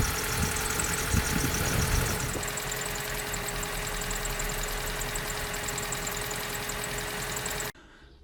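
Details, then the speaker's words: 2004 Vauxhall Corsa C 1.2 petrol, off the road two years, idling after full service with fresh oil, new fuel filter and plugs; smooth even idle, no knocking, whereas before the oil change the top end sounded noisy. "This is what it sounds like with fresh oil. You heard what it sounded like before, and this is what it's like now."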